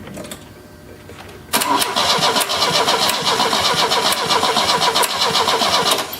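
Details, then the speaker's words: 1970 Opel GT barn find, unrun about 30 years: steady cranking at about four turns a second for several seconds, never fires. Owner calls it futile, judges the carb junk and decides to replace it. "all right stop this is futile we are going to it's too scary but we're going to uh we're going to get rid of this carburetor is what we're going to do because it's junk"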